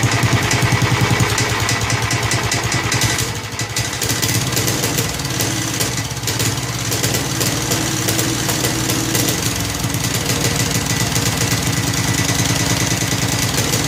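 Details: Snapper Hi-Vac commercial mower, around 1988, with Robin/Wisconsin engine, running after carburetor fiddling: smooth, steady single-cylinder chug, no knocks or misses; motor sounds good when running correctly, though carburetor leaks and needs a kit.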